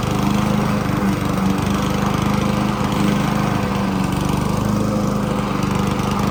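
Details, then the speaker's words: Honda HRC216 mower (GCV-series engine), hot, needing choke, original carburetor: uneven, hunting beat wavering in speed; surging from faulty carburetor. "The first one you saw was falling all over itself."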